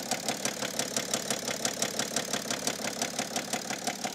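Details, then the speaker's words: Cheap BMW 7 Series at idle with drive belt removed to rule out pulleys: sharp, even tick-knock about three per second, essentially unchanged, pointing inside the engine; bearing issue suspected, knocking at idle not confirmed. "okay so i thought i would take off the drive belt just to eliminate any of the pulleys being bad and as we can hear is pretty much still the exact same"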